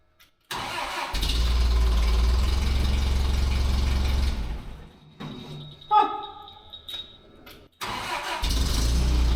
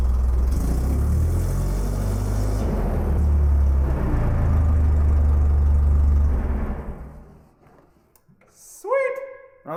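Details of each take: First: Terex crane engine after new spark plugs and fuel adjustment catches and runs steady about four seconds then dies; would keep running if starter held, suspected vacuum switch cutting constant power to fuel solenoid, so it stalls after start. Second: Terex crane engine after the solenoid was given 12 V via the switch terminal: deep, even low rumble holding a steady beat, no stumbles or surging until shut off; normal idle.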